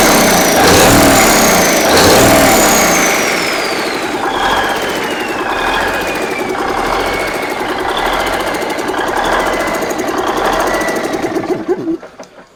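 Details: Big Cam Cummins NTC 365 diesel, first start with an aftermarket starter: starter whine falls away, catches into steady even clatter about four beats a second, no smoke; starts and runs cleanly.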